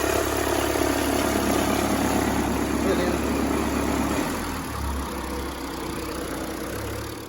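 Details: Fiat Toro diesel at idle: rhythmic flapping shudder about four times a second, like a loose guard rattling, from the alternator belt; cause is a seized alternator overrunning pulley, to be replaced.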